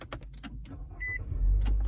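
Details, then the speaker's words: 2018 Nissan Altima started from inside; short starter crank, then the engine catches cleanly and settles into a steady low rumble without hesitation; normal start. "And as you can hear, no hesitations there, turning the vehicle on."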